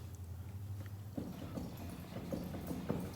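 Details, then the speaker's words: 2003 Chevy Tahoe front hub turned by hand: uneven clunks and rough knocking from a worn, very noisy front wheel bearing. The bearing on the other side is solid. "the sound right away yep see right there it's very noisy so I'm gonna take it apart and see what's the damage"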